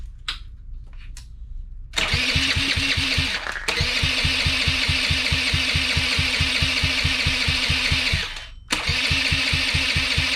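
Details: Honda Elite CH80 scooter with swapped carburetor, custom intake manifold, choke and cone filter, and a quieter modified exhaust; catches after a short crank and settles into an even, quick putter of three to four pulses a second; runs fine.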